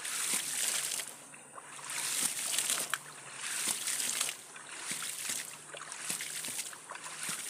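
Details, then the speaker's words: Electricity-free hydram ram pump restarted with waste valve stroke set to 1.5 cm; rushing, sloshing water with a sharp waste-valve clack about every second; cycling steadily, running normally. "Sudah hidup lagi teman-teman."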